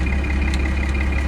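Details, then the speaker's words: 1992 Dodge D350 on test drive after new clutch and junkyard Getrag 360 transmission, slave cylinder still leaking slightly: even low truck rumble with a faint steady high tone, no grinding or clunking. Normal transmission operation. "I don't hear no grinding or anything."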